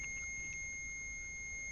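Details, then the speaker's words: Multimeter on continuity testing a landscape lighting wire end to end: steady unbroken high-pitched beep, so the wire has continuity and no short; the connector appears not to be the problem. "Okay, and hear that beeping noise? That means there's continuity. So, there's no short in that wire."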